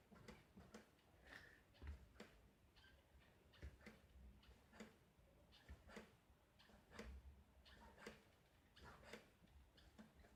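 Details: Mountain bike with a Cane Creek DB Inline rear shock, owner suspects failure: sharp, hollow knocks about twice a second as the shock is worked up and down.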